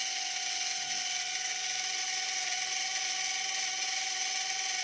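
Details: E88 Pro toy drone opened up because one propeller would not spin; high thin whir with a raspy scratchy grind and no steady spin-up, controls feel heavy, motor sounds like it is failing.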